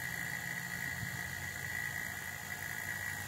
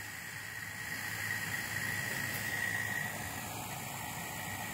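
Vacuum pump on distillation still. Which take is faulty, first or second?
first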